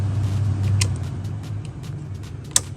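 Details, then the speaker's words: Ford Mustang II climate control unit (AC-equipped) after repair: steady low hum of the blower fan running evenly on all settings with a few light clicks; working normally. "okay all of them working perfectly man they all working great listen to their fan"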